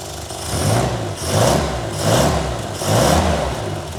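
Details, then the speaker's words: 1963 Austin Healey Sprite, cold, after SU carb cleaning and exhaust leak work, before enrichment tuning: idle rises and falls about once a second but catches cleanly and runs much steadier than before. "Already sounds a lot better. Have to get just a little bit of heat in the motor, and then I can start tweaking on enrichment."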